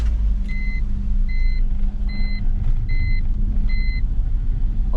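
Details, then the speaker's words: BMW E46 wagon after new spark plugs, two new intake boots and a vacuum leak fix: low, lumpy idle with an uneven beat under a repeating chime; owner suspects the ECU is still adapting to the new intake; rough idle. "now it's running like [ __ ] oh okay i think i just gotta give it a minute the ecu was so used to seeing how it was with the old intake"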